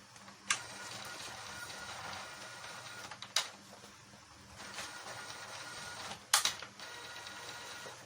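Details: Epson printer that showed a blinking fatal error after being disassembled, now powered on and printing: even back-and-forth carriage passes with crisp clicks at each line feed, no grinding or knocking; printing normally.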